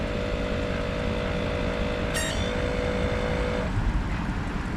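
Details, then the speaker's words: 2013 Audi A8L air suspension compressor lowering the car; steady low drone and even hum that cuts off cleanly, front comes down normally; internal leak traced to a popped-out recirculation valve in the pump. "all right let's lower it that radio there we go you can hear it doing what it's supposed to do the front came down"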